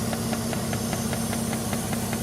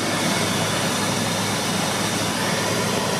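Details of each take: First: Jeep Grand Cherokee WJ being fixed for EVAP codes, engine warmed up and idling: steady hiss from a suspected cracked EVAP hose, temporarily patched, with the purge valve ticking about five times a second; vacuum leak. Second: Jeep WJ Grand Cherokee with EVAP leak codes, cold start: steady cold idle under a loud roaring fan with no clicking from the purge valve; normal cold start, clicking expected only once warmed up.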